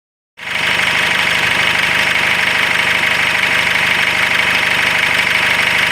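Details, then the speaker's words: Cummins diesel in a GAZelle Next; a sharp rapid metallic clatter about three beats per second rides over the idle, an engine knock, cause not confirmed. "О, начало стучать. Ну дай ще так пару раз газу, щоб двигатель пошатає чи ні."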